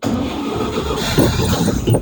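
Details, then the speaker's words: 1962 Chevy C20 with a new fuel pump and fuel filter, after compression, points, plug gap and timing were set and the carburetor rebuilt: brief cranking catches and the engine picks up into a steady, smoky run, with fuel now getting through. "well Stanley's a runner new fuel pump fuel filter come on Stanley"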